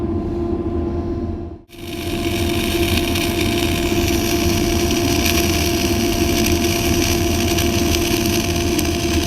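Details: Kemppi X5 MIG-MAG set at 180 A, 23.5 V, dynamics 0, 1-MIG synergic mode, flux-cored wire, Messer C18 gas at 10 L/min, vertical fillet weld: after a short pause, steady even crackling hiss without sputter; normal stable arc.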